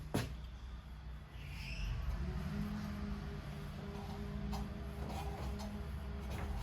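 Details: Vintage Lauson-powered jump starter, rope-start single-cylinder left outside long, floods easily, transmission fluid put in and left overnight; owner suspects a sticking valve freed: after a clunk, quiet steady even running; normal running.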